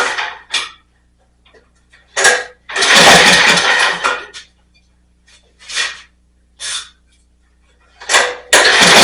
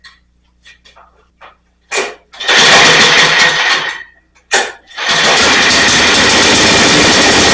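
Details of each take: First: Snapper rear-engine mower, sat in a field for years, first start after carb work with no air filter element (open carburetor): catches in ragged bursts, dies and surges, keeps trying to stall; carb adjustment didn't help, running way lean. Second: Snapper rear-engine 8 hp pull-start mower, revived after years in a field, carb reinstalled with float set properly: a few pulls, one catch, then a steady, even drone; runs real nicely after the fix.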